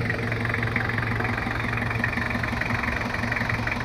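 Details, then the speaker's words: First start of a rebuilt Toyota Kijang 2L diesel, injection pump timing still set at zero: smooth, even idle with the usual light clatter and no knocking or stumbling; sounds standard and runs properly. "kita hidupkan suaranya halus standart karena ini setelannya masih nol untuk setelan bospom saya buat nol"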